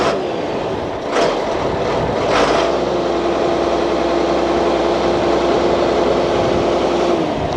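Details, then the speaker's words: 47-year-old Ford FW30 articulated tractor diesel, after reconditioned injector pump fixed and refitted, not first start: steady, even run with constant drone, no lumpy beat or misfire; sounds healthy, as it used to. "Listen to that. That's so much better."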